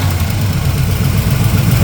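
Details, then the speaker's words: Carbureted V8 with electric choke, just started with choke closed on fast idle: deep steady burble settling toward a lower, even idle as it heats up and the choke opens; runs smoothly, normal. "Once it heats up a little more, you can flip it again and it'll it'll It'll idle on down."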